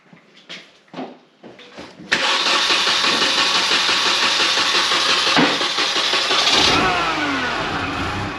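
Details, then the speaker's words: Manual Mini Cooper (supercharged) after reassembly, coolant bleed plug out; cranks, catches and settles into an uneven, hissy, wavering idle, running rough; owner suspects a vacuum leak; throttle body butterfly later found not seating fully closed. "Because I think it sounds like a vacuum leak. Yeah, I'm gonna leave that so I can, because I have this plug out for burping it. I'm gonna start it, even though it runs like crap."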